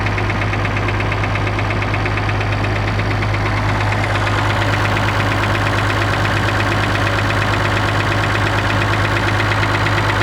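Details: Perkins T6.354 M diesel at idle with a steady, even knock about three times a second riding on the low engine rumble.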